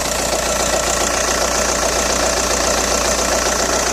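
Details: Audi A4 B6 1.9 TDI AWX diesel at idle: a busy, fairly regular metallic rattle near 146 per minute over the clatter. It began after replacing injector O-rings and copper washers; cold-start smoke is gone but some power loss is felt. Cause unknown.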